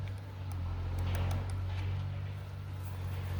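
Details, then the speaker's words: Stump grinder that sat outside in the weather with a stuck starter, being jump-started; low, labored, uneven cranking around four turns a second, picking up a little strength; sluggish starter, later given love taps. "sounded stronger. What happened? Oh, it needs a little more loving."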